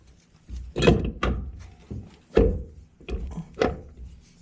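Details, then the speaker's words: Installing a Jake's 258mm torque converter into a 1000hp TH400 for a 5th-gen Camaro. Dull thunks and clicks as the converter engages the input-shaft spline, the second spline, then the pump seal. Three clicks suggest seating, but it must be confirmed by measuring. "You will hear 3 clicks to get it into place. It'll be this spline right here clicking in, this one, and then your pump seal right there."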